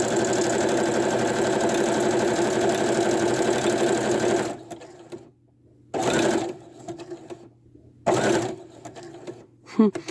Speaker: i don't know if you guys hear that tapping noise do you know how they say not to put metal bobbins in your sewing machine i have a metal bobbin in my sewing machine and that's what's making that clicking noise in there